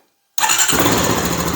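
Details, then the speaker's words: Honda TRX-250 Recon ATV right after starter motor replacement: silence, then starter catches and engine fires straight away into steady, even run; clean, healthy start, confirming the starter motor was the fault. "excellent so that's what it was the starter motor all along"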